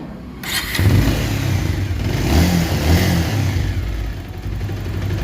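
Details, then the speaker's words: Bajaj Pulsar 220F BS6 after timing chain replacement (old chain worn, rattled worse when hot): engine catches and revs cleanly, smooth even note, timing chain rattle gone; normal start and rev. "Guys आप लोग सुन सकते हैं गाड़ी का जो sound है एकदम ठीक हो गया टाइमिंग चन का जो आवाज था एकदम चला गया एकदम स्मूथ साउंड हो गया"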